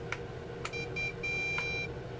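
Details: Bugs 3 quadcopter plugged in after switching to the version 1 transmitter, short high beeps about every half second; receiver unbound, needs re-binding.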